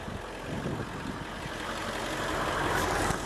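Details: 1997-98 box van RV conversion just started, charging at 14.4 volts: soft even idle rising slightly after start-up, no knocks or roughness; engine settles normally, normal idle.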